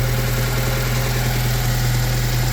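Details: 1997 Honda Civic, 220,000 miles, oil-burning, run nearly dry of oil, after rod knock repair, long crank to start, check engine light on: even, steady low idle hum with no rod knock or ticking.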